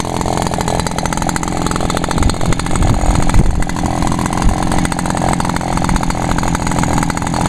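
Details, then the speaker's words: Echo backpack leaf blower, two-stroke, after topping up fuel that had run low: a busy rattle holds steady speed without stumbling or dying; it runs properly now. "yeah just runs Perfect"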